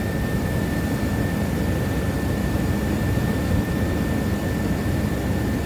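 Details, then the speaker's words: 1998 GMC Jimmy, 4.3L V6, automatic, 4x4, idling with a replacement alternator fitted after the old one failed. A steady mid-high whir holds one pitch over a smooth idle. This is normal alternator whine: it is charging at 14.6 V on a low battery and getting warm. "Now, I'm not sure if you can hear it, but there is a bit of a whirring sound, and that there is our alternator."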